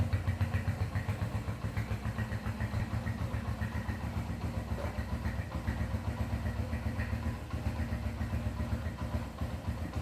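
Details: Honda CB100 K5 single-cylinder after engine and electrical refurbishment, started without throttle: an even, steady putter at about four beats a second with no misses or knocks; normal idle.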